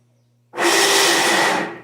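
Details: Electrolux LT15F top-load washer that won't spin, only agitates: after a quiet start, loud harsh scraping rasp from the transmission as it tries to engage the basket; failed transmission shaft bearing.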